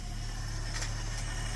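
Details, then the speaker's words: 1973 AMC Gremlin, sat 30 years in a barn, run on a makeshift fuel system, oil and coolant good: low steady idle with an even beat, no stumbles or ticks; clean idle. "That's ridiculous. It's straight up idling. Can't make this up."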